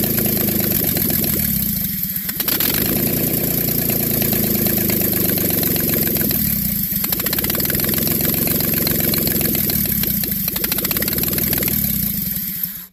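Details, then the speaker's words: 1988 Chevy OBS project truck after engine swap, first start with no water pump fitted: catches and runs loud with uneven lumpy beat and sagging dips every few seconds, backfiring; rough running just after starting. "Well, it's not running the best, but at least it is running. Put on a little fireworks show there."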